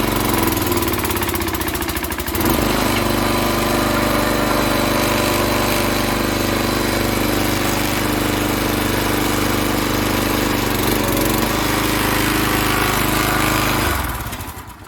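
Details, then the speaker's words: Log splitter small single-cylinder engine, after half-turn adjustment: runs loud, lugging heavily and nearly stalling under hydraulic load; improved but still close to bogging down, needs further adjustment. "i think it did make a difference but it still was pretty close to bogging down"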